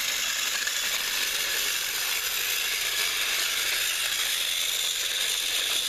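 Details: Repaired TrackMaster Salty toy engine, once seized and only buzzing weakly, final track test pulling slide-door vans: steady high-pitched whirr with a fine gear buzz. The repaired motor and gearbox run, though slightly rough.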